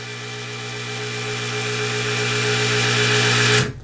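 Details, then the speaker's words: Wooster motorized ball valve wired to relay one of a W600 controller, switched off: small geared motor whirs with a steady, slowly swelling hum about three and a half seconds, then stops cleanly as the valve closes; normal. "so if I turn relay number one on you can actually hear the motor energizing and opening up the valve when I turn it off"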